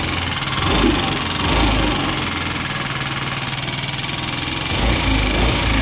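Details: Yamaha Ray ZR 125 scooter that is smoking and burning engine oil: rough idle with a rattly knock about four beats a second; abnormal engine noise, cause not yet known.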